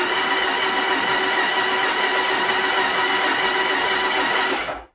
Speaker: there you go. Sounds perfect. Sounds like it ought to be a winner, right?